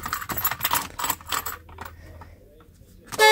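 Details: Jaguar Series 3 V12 horn test: a short blast with a single thin tone, lacking the fuller two-note sound, so only one horn seems to work; cause suspected, not confirmed.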